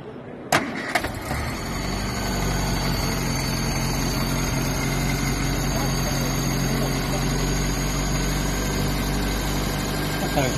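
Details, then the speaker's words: Austin Allegro: the engine catches after a short crank and settles into a steady, even idle with no misses or knocks. It runs smooth. "smooth yeah I've heard it running it sounded all right"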